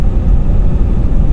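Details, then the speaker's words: 2011 Ford F150 EcoBoost on road test at 1,800–2,000 rpm after replacing the turbo bypass valve diaphragm; smooth, even low rumble with only faint tire noise, the earlier moan/groan gone. "there's the critical rpm there's a bit of a tire noise but that's not the noise over shooting for it was like a wood noise ha Maul and grown in around 1,800 2,000 rpm right around there and it's quiet as a church mouse right now"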